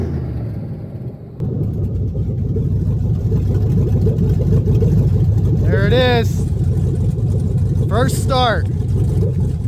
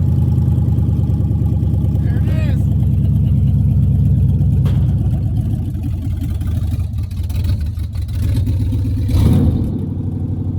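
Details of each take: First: 1975 Suburban with a 6.0 LQ9 V8 swapped from a 2004 Escalade, first start with no exhaust or cooling system: loud, raw open-header rumble with an uneven, lumpy beat at fast idle. Runs rough; owner blames the missing O2 sensor. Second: 1975 Chevrolet Suburban with swapped 6.0 LQ9 LS V8 from a 2004 Escalade, first start with no exhaust and no cooling system: loud raw V8 rumble catching and settling into a fairly even idle, no knocks; normal first start.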